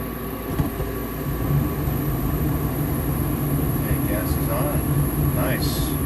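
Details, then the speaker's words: New Fasco replacement draft induction blower (119256-00 / ICP 1014341 JA) running with furnace burners lit, replacing the noisy old motor; steady quiet low hum, no rattle or bearing growl: normal running. "it's a much quieter motor so yeah definitely the old motor was it was going out it was making a lot of noise"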